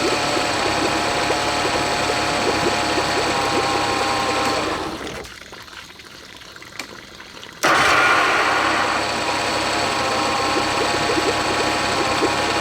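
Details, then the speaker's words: Honda BF40 40 hp four-stroke outboard on a 14 ft boat, accelerating: revs rise, then the note sags and nearly drops out before surging back, with shaking. Rough running under acceleration; later fixed by cleaning the carbs and replacing the o-rings. "uh it doesn't really shake or anything it doesn't feel like it's missing out but as soon I start accelerating um it becomes more inconsistent and um the engine starts shaking more"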